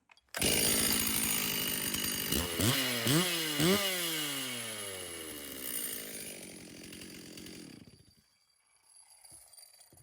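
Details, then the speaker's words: Vintage Stihl 036 PRO two-stroke chainsaw, which had not run in over 20 years: fires up, takes sharp throttle blips that rise and fall cleanly, then settles. Runs excellent. "well there you go this thing runs excellent"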